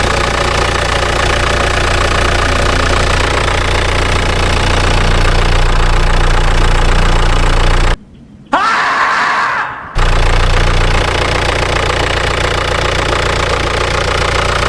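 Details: 2008 Audi A6 with DPF warning, oil pressure concerns, brake alerts and shaking under acceleration, just started: diesel idling with a steady knock roughly three to four a second over the engine note; cause not yet clear.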